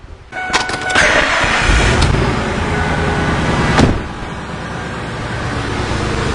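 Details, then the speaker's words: 2002 Ford Expedition 5.4L cranks and catches, then settles into an uneven, lumpy idle with a faint exhaust puff. A slight exhaust leak is heard and it hesitates on throttle; rough idle, cause not yet pinned down. "all right i hear a little bit of an exhaust leak and it is idling rough yeah it is definitely idling rough"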